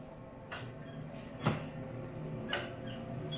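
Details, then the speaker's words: 1986 EZ Go Marathon golf cart with a 2-stroke engine, battery likely dead and needing a charge or jump: single sharp click about once a second, engine never turns over; starter clicks, no crank. "I can hear something clicking but I don't hear the motor doing anything so on to the next thing"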